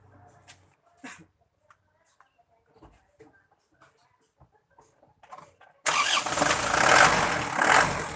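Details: Engine: quiet cranking, then catches and settles into a steady, even idle with no knocks or misses; normal.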